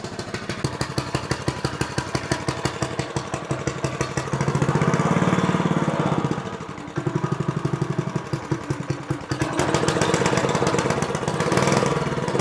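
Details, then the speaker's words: Honda GX160 5.5 hp four-stroke single on a Bocart go-kart, unused 10 years with gummed-up carburetor from stale fuel; after cleaning the carb and jets, started on choke with chain removed, it pops evenly, revs cleanly and keeps running without stalling: normal running. "So that was a pretty easy fix. And this is very often the case on engines that has been standing for a long time."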